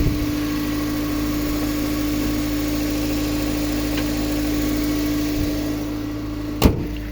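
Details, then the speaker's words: 1997 Toyota Corona Exsior, 4A 1600 cc engine, automatic, never run on gas: steady, even idle with a constant low drone, no stumbles or misses; engine runs cleanly. "เครื่องยนต์เดินเรียบๆนะครับไม่มีสะดุดนะครับลูกค้าลองฟังเสียงเครื่องยนต์นะครับ"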